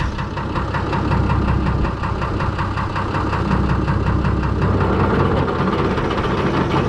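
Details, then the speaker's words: Fordson Major tractor with swapped-in six-cylinder Perkins diesel, second gear, pulling a slasher mower: loud even diesel beat under load, no knocks or misses; engine runs very smooth and healthy. "very smooth not the the winding but the engine that's very smooth yeah the engine"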